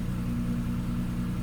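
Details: BMW E28 cold start: steady, even low idle with no misses or knocks; revs initially low from a sticking cold start valve, freed with a blip; engine otherwise healthy.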